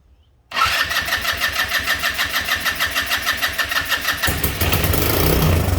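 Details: GY6 150cc engine on a Yerf-Dog go-kart after spark restored: catches with quick uneven chuffing, then falters and smears out; fuel starvation from a gummed-up carburetor.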